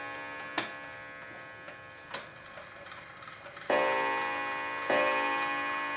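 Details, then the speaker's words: Antique clock reassembled with strike train adjusted, striking on the hour and half hour while being advanced: light ticks and clicks, then two bright gong strikes about a second apart ringing cleanly; strike working normally. "This one will go off on the hour and the half hour. So it'll take me twice as long to get to the right spot."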